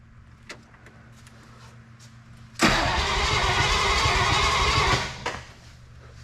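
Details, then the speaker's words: 1955 DeSoto Firedome Hemi V8 stored for years, first start attempt: strong, even, brisk cranking for about two seconds then stops; starter sounds very good and turns the engine over well; oil, transmission fluid and coolant checked, coolant low. "okay turns over nice good sounding starter I think very good sounding starter"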